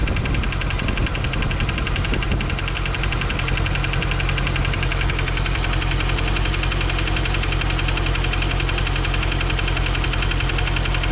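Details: 2015 C7 Corvette Z51, six-speed manual, Edelbrock supercharged, 80,000 miles, at idle: light regular tick about three per second over a deep V8 idle; AFM lifter failure suspected, thought driver bank cylinder 7 but seemingly toward the front.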